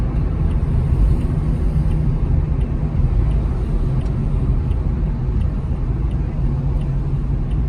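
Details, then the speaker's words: Heard from inside the car while driving, even around 15 mph: constant low rumble, unchanged when loading side to side, sometimes louder decelerating; wavy, unevenly worn rear tires, not the suspected wheel bearing. "In this case, the tread on the tire is wavy, and that uneven wear is what's creating this constant rumble. So, while it may sound like a bearing at first, this is a classic example of tire noise."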